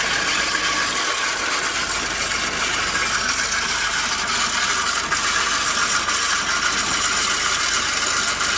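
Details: Fiat 500 engine making a fast, dry, sharp, tinny ratcheting clatter that stays steady over little engine rumble. The noise started once the engine warmed up; cause unknown.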